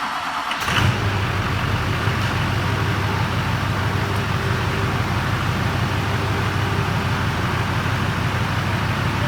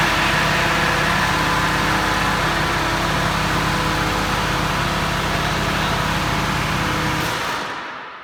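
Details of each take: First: Duramax diesel truck after a ZF6 transmission swap, restarted once a rubbing fan that caused an earlier horrible grinding startup was fixed. Quick crank, then a steady diesel clatter at idle with no scraping or grinding. Normal startup and idle. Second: Truck (ZF6 transmission) at first startup after being disconnected on ramps: harsh plastic scraping rasp pulsing with engine speed over the idle. Engine fan blades are rubbing on the fan shroud.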